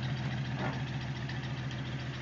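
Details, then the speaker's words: 1951 Dodge Coronet project car idling; low, even rumble with a steady beat and no knocks or misses, running very well. "deal and as you can hear it is running and it runs very"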